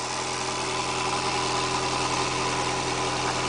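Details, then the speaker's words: 4-cylinder tow vehicle with a 1942 Willys trailer: loud raspy hiss and rapid puffing over steady idle from a huge exhaust leak where the pipe snapped off the exhaust. "I don't even know if you can hear me. I have such a huge exhaust leak from where the pipe snapped off the exhaust"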